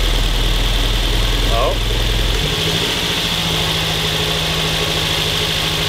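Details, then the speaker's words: Mazda 3 four-cylinder on a cold start after a coil pack swap gives an uneven, lumpy idle: cylinder 2 misfires and is not firing because its coil pack is fried. The misfire began during 0-60 pulls. "that coil pack number two just completely fried out"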